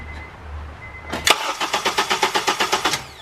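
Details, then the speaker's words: 2011 Honda Accord during power steering pump replacement and bleed, fuel pump relay pulled so it cannot start: starter cranks in even pulses about four a second for under two seconds, never fires, as expected. "Okay, now we're going to crank it a couple times. Remember, we have the fuel pump relay out, so the car can't start."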